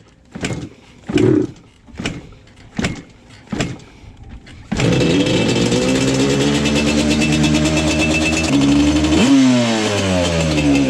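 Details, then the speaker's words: Yamaha Banshee two-stroke with very low compression, easy to kick over. A few kicks, then it catches and stumbles off idle, spitting and hesitating on blips; bogs at low rpm and misses once warm. Stuck top piston rings. "You can hear there's like some type of miss or something going on with this thing. And there it kind of does it now from an idle once it gets warmed up."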